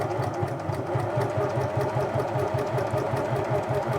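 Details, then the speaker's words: 1980s Singer Futura Electronic 2002 sewing machine after cleaning the board buttons and reinstalling the electronic board and motor, stitch length swept from maximum to minimum: steady motor hum with an even tick around 2.5 per second; stitch length works. "Yep, it's looking good there. So stitch length is working."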